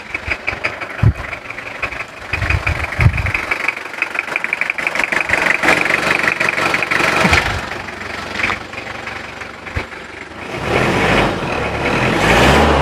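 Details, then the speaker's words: 1999 Toyota Kijang Krista diesel, warm after use: even diesel clatter at a steady idle with no odd knocks, plus a few handling clicks. It sounds clean and healthy, with only slight thin exhaust smoke. "Tapi untuk suaranya sendiri ini suaranya masih bersih, nggak terlalu ada suara-suara yang aneh."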